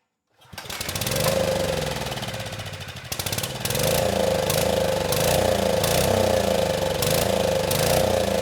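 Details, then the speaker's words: Generac-made Beacon portable generator, weathered and non-running when received, revived with starting fluid: single-cylinder engine runs rough and surging with a pulsing drone, yet the test light on the outlet stays off; no output, stator suspected. "unfortunately that light is not coming on so I think we do have some issues down on the stator"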